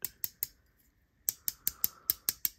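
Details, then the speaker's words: Blade HQ Vox Dapper folding knife wiggled while open (quiet when closed): sharp, light metallic clicks in quick bursts. Loose handle scale rattle; owner suspects a loose scale or pin. "and I got it and it's got a little bit of an issue it's like the scale's loose um I don't know if you can hear it"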